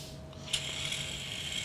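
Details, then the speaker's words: Tesla electronic parking brake actuator driven closed normally: small motor with a high, steady gear whir, grinding down as current rises to about 10-11 A, then cutting out. "causes it to close, and we're extending it, and you can actually hear it grinding down, starting to draw more current, and then it kicks out."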